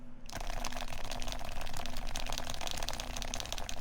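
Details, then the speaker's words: Silenced HHKB keyboard typing; soft, muted, even keystrokes with no scratch or ping, quiet and smooth; normal typing sound. "You can tell how much creamier, deeper the tone is."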